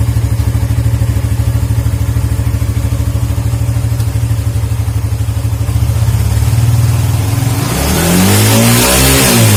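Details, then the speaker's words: Suzuki GSX motorcycle engine revved high then throttle released: steady fast firing drops off, revs sag and hunt unevenly near idle as if about to stall; cause given as dirty ISC idle control valve, fixed by cleaning. Stumbling near-stall on throttle release. "Hari ini saya akan memberikan tips mengatasi mesin GSX yang berebet ketika turun gas."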